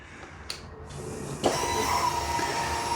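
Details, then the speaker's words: Harley-Davidson Pan America 1250 at ignition key-on after front fork rebuild and rewire: faint steady high-pitched fuel pump whine, noisier than normal; owner suspects it began after bad fuel and expects fuel additive to cure it. "Just hear the no little tiny noise from that fuel pump as well which started going in the uh aisle of mul from that shitty fuel."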